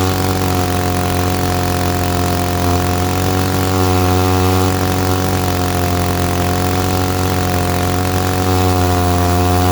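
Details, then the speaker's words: 1947 Chicago-made six-foot two-stroke chainsaw, barn find from Iowa unrun 40+ years, after points serviced, carburetor cleaned, fresh fuel and new spark plug; steady even buzz, stable pitch, no misses; normal running. "okay well so we got it running it was sitting in a barn middle iowa and uh 75 dollars for this thing just went through the points cleaned the carburetor put some fuel in it new spark plug and away she runs"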